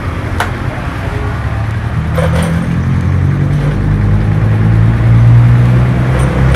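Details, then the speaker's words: Yamaha MX King 150cc after engine teardown repair for rough engine noise, radiator refilled: steady low idle thrum, even beat, no knocking or rattle; now smooth, no longer problematic. "Jadi bisa kalian nilai sendiri untuk suara mesin dan disini sudah halus tidak ada bermasalah lagi"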